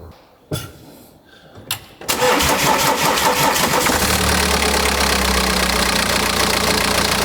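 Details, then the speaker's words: BMW N47 2.0-litre diesel tourer after water pump and EGR cooler refit: cranks and catches, then harsh metallic clatter at about four a second from the rear-mounted timing chain; water pump didn't cure it, engine must come out. "There is a horrible rattle from the back of the engine. And this is the rather infamous N47 2-litre diesel, which has the timing chain on the back of the engine."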